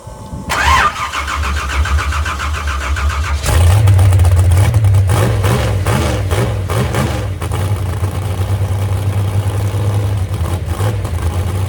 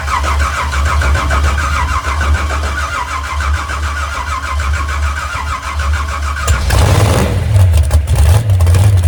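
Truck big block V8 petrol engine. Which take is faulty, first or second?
second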